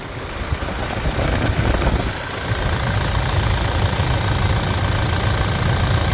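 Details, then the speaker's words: 2016 Toyota Hilux 2.8 GD diesel, 350,000 km, idling after a timing chain replacement; an even, low, steady beat with no knocking or chain slap, praised for its smoothness: normal idle. "Escuta esse cheiro escute a suavidade do funcionamento"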